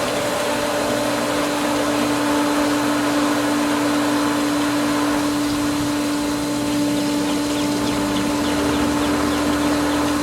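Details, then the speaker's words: Pool pump while opening winterized skimmers: steady hum with a churning, bubbly wash that settles slightly as the pump draws air through the skimmer line and slowly regains prime. "I think we almost got it definitely hearing and feeling a lot of air coming through this valve still some more lot more"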